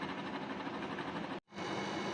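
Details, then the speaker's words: Brand new Nedis DEHU20WTW WiFi dehumidifier: coarse, rough droning roar with a throbbing texture, briefly cut and restarted, from the fan alone with the compressor not running; far louder than it should be. "here is my new NIS the humidifier when I turn it on it seems like it's a diesel engine brand new it makes all these noise just from the fan and it's uh compressor is not even running"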